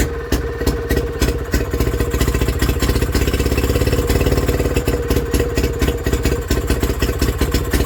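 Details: Villiers WX11 single-cylinder engine on first start after carb work, new points and coil: rapid firing beat surging and sagging, idle hunting; carburettor adjustment needed; ignition timing was found to be the issue.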